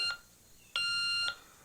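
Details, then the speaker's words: CT2 ignition timing check, points first set with flywheel off: clean high tester tone switches on as the flywheel mark reaches the tab, showing the points just opening right on timing. "when this flywheel comes around to this point and you hear that tone that means that the points have just"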